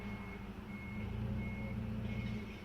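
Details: Steady high beep repeating roughly every second over a low diesel rumble as a rig is moved out of the way in a repair shop's lot; a normal reversing alarm.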